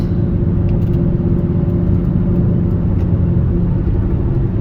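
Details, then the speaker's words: 2004 Buick Rendezvous on a test drive at cruising speed: steady low growling hum under the road noise, no knocks or clicks; a wheel bearing is suspected but which one is unknown. Wheel bearing growl. "Okay, so I don't know which wheel bearing it is."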